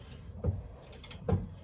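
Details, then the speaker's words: BMW E30 rear end after limited-slip differential swap, shaft turned slowly by hand: two scraping knocks, one per rotation, from the loose CV boot retaining spring hitting the exhaust each turn. "It's like something's loose and rubbing against something. Yeah, the noise turned out to be the gator retaining spring. You can see it there. Every rotation it was going hit the exhaust."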